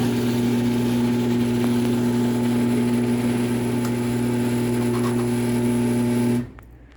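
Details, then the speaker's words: Genie Pro screw drive garage door opener on a mini door running down, a little louder than going up; strong, steady motor drone for about six seconds with no grinding or knocking, then a clean stop, healthy. "so you can hear it is a little bit louder on the way down but like I said still sounds pretty good"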